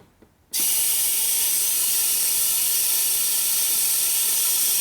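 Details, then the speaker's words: Air-driven nitrous oxide transfer pump from eBay, fed from a shop air line regulated to 80 psi: air cuts in to a loud steady hiss with faint ratcheting but no proper pumping rhythm; it isn't working. Inside are grease and dirt debris, and a ring may be missing. "pretty sure it's not close to that though you hear the pump and stop so that looks like it's no good"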